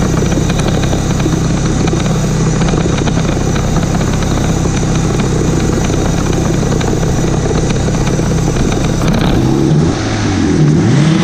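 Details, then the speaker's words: 1991 Mitsubishi Galant VR-4 (E85, Precision 5558 turbo), after the cracked custom turbo manifold was welded: deep, even exhaust note holding hard revs on two-step at 11 psi, no puffing or ticking. Exhaust leak gone, sounds healthy. "all righty let's sound the two-step see I'm a goose it picked up just for that quick circuit 11 pounds I guess it's good to go for a test drive now I plugged in the fan so no more exactly sounds exactly how it should sound now"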